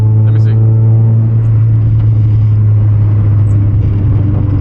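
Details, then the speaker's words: Mazda Miata on a test drive before a hub replacement: a steady low droning roar under the road noise through a fast left turn. It points to a worn right front wheel bearing/hub, which roars on left turns. "I can hear it bro yeah it's this right one that's [ __ ] okay"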